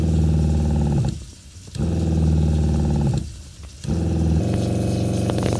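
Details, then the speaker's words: Factory-installed RV travel trailer water pump, phone on floorboard, sinks running: loud low droning buzz that cuts out about every two seconds and returns, vibration transmitted through the structure, audible into the bathroom; fix planned with vinyl tubes. "i'm going to turn on the water now so you can hear how loud the water pump is this is the way it comes from the factory"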